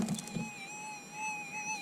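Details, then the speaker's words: Minelab SDC 2300 gold metal detector with sensitivity set on 5; threshold tone is a high hum wavering slightly up and down, a little erratic because of the high sensitivity. "it's a little bit up and down, a little bit erratic."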